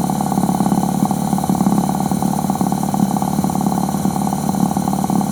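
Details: Suzuki 1100G with Mikuni carbs, after sitting, carbs cleaned, engine cold just after start; steady even idle with a quick regular beat, no misses, though it smells a bit rich. Normal idle.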